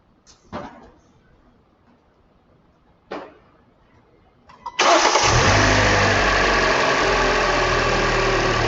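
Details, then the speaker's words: 2013 Hyundai Elantra after installing two new ignition coils: engine starts first try and settles into a steady, even idle with no stumble or miss; misfire fixed, normal idle. "I think she's fixed. Seems to be running right."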